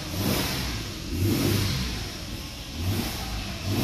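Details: Engine revving up and settling back smoothly after oil-circulation cleaning of gunked internals on a 4x4, sounding better with no oil light; even swells, no clear ticking, though a ticking is mentioned just before.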